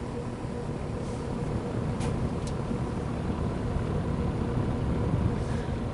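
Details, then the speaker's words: GE W22 plastic-bladed box fan after fixing a loose shaded-pole coil that caused low-speed buzzing; with blade load the fan runs with a steady low hum, no electrical buzz, only faint cabinet vibration; normal running. "That might have fixed the problem. The uh cabinet vibrates a little bit."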